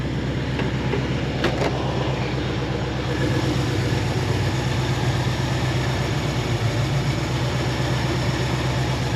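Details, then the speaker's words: 1973 AMC Jeep CJ5 idling: steady even idle with smooth low thrum, no skips or stumbles; running nice and strong, healthy. "Running nice and strong, sounds good. I don't see any misses in it, idling nice."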